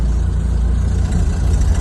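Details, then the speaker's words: Ford Model A upgraded to 12 volts from the original 6, started with gas and ignition on via the starter button: a smooth, even low thrum idle, no knocks or misses, just after starting; normal idle. "listen to that that wonderful I tell you this is the the best starting car I have"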